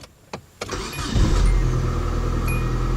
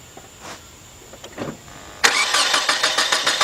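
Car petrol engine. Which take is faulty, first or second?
second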